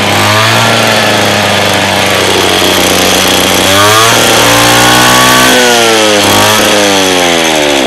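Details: Lawn mower two-stroke engine that is hard to start and runs rough; buzzy pitch wanders up and down and surges unevenly as it revs instead of holding steady, rough uneven running.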